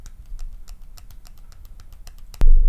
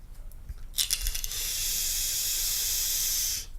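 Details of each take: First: Voopoo Drag 2 mod with UForce tank, shaken: light rapid plastic clicking then a thump. The overhanging battery door rattles with or without batteries and with or without the ribbon; not a loose rattle. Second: Voopoo Drag 2 mod with UForce tank, wattage mode at 75 W, coil reading 0.2 ohm: steady smooth hiss about two and a half seconds, starting and stopping cleanly with no popping or spitting; coil firing normally.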